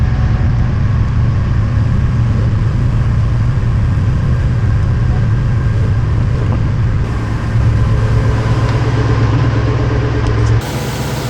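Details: 2003 Ford SVT Cobra V8, first start after valve guide and seal repair with engine removal and partial teardown; cold, rainy, humid day. Deep, steady idle rumble with an even beat and no ticks or knocks; headers burning off, check engine light on; sounds incredible.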